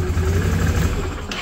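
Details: 2010 Can-Am Outlander 650 Max after fuel pump replacement, fuel pressure raised from 20 to 51 psi: single-cylinder engine idles with steady even thump then fades off; no ticking or hunting, runs clean.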